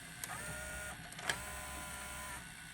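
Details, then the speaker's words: Emerson VCR968 VHS VCR with an early Orion transport, in fast search with a retail tape: a light, even whirring with a couple of soft clicks, no scraping or squeal; normal transport. "if i go to fast search there you go you can hear how smoothly it runs like i said these transports are very reliable when you actually um do it correctly"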